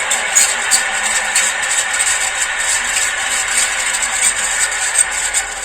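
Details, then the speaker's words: Surya ceiling fan on the bench via series test board: fast, fine scraping ticks each turn over steady hum, getting louder as the fan warms up; worn, dry motor bearing. "यह ऐसी आवाज़ ए रही है दोस्तों यह आवाज़ बढ़ती जाती है जैसे इसे पंखा गर्म होगा उसके हिसाब से चलते चलते"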